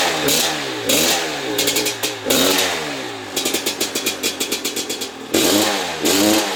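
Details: Maico 660 two-stroke dirt bike after fitting new reeds and reed intake, clamp-on air filter, stationary: crisp crackle blipping up and down cleanly with no miss or bog; starts and restarts easily, idle needs setting, pipe leak-free; normal running.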